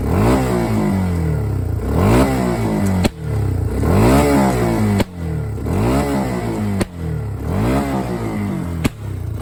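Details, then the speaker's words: 2011 Kawasaki Bayou 250 quad: revs rise and fall about every two seconds, with four sharp, very loud exhaust bangs after the ignition is cut and restored. A deliberate backfire. "Probably does not sound that loud, but I'm gonna go a little farther away and do a few. Turn your volume up, and you will. The further away you are, the easier it is on camera to tell how loud it is. But that is very loud. It's like a shock wave."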